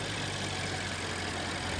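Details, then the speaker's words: 2015 BMW 650i Twin Power Turbo, just started after sitting nearly out of gas: loud, busy, even metallic rattle over idle from front of engine; suspected loose timing chain, unconfirmed; shut off quickly to avoid damage. "yeah I think that's the timing chain I don't think that's a nice sound at all so we're going to turn that off before something goes bad"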